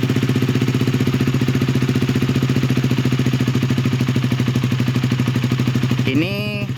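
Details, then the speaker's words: Honda Sonic 150R with Kawahara oil pump and BB Killer near-stock exhaust, cold start: steady single-cylinder idle about 150 pulses per minute, even, no ticking, then a short blip; sounds same cold and hot, cold-start head tick cured. "Tidak ada perbedaan sebelum dan sesudah panas, sama suara mesinnya. Jadi memang beginilah suara mesin gua ketika panas dan ketika adem, tidak ada perubahan."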